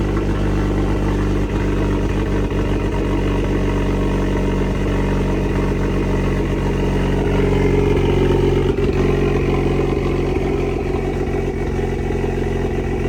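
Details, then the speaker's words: CSRT-4 after rear end build, newly fitted straight-pipe exhaust, fire-up: deep lumpy cammed idle with uneven lope through loud open exhaust, holding steady; healthy. "You can hear that cam a lot better with the straight pipe."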